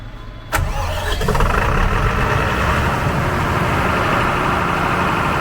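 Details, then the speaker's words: Standby diesel genset at a warehouse distribution center, engine oil checked clean and sufficient, started in test mode off-load: starter catches at once, settles into even steady idle, no misses or knocks; normal start and idle. "Alright, now we're going to test run the genset from here. Okay, using test mode."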